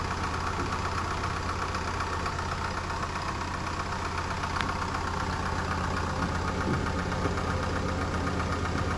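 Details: Medion PC: steady low hum with a loose knock about twice a second, like a small diesel idling; something inside the PC is rattling, producing rhythmic knocking.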